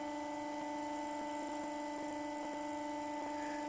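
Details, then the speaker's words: Motor at about 1400 rpm on boosted input voltage with new bearings held in by temporary plastic, not glued; clean steady hum, only faint light ticks, no rumble or grinding. So much quieter than the old whooshing China bearings. "but yeah what a difference it's so much quieter"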